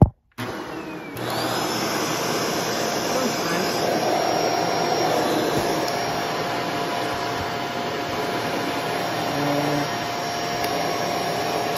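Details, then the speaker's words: Shark vacuum (water had come out of it): motor spins up to a steady high whine with no beater-bar rumble; the power head brush roll isn't spinning, owner suspects worn or wet wand connections. "some reason the power head's not spinning"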